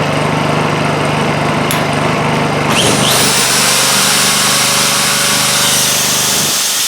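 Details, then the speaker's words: Honda EU2000i inverter generator after repair of a plugged exhaust with a new muffler and exhaust gasket. As a drill load is applied, the engine throttles up smoothly and holds steady: normal throttle-up under load. "as you can hear it pick up uh throttle up a little bit under the load of the drill not bad that's that's not bad at [Music] all"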